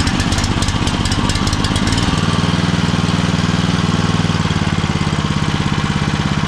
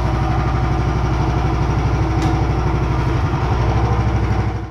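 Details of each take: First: Homemade machine with a motor driving a poly-V belt through misaligned pulleys: loose metallic rattling chatters over the engine's thump and then settles, with a crunching noise and excessive vibration. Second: Small single-cylinder engine on a home-built machine after the pulleys were realigned for a poly-V belt and the motor moved back about 5 mm: a fairly even low thumping beat with no belt slap or squeal before shutdown. Normal running.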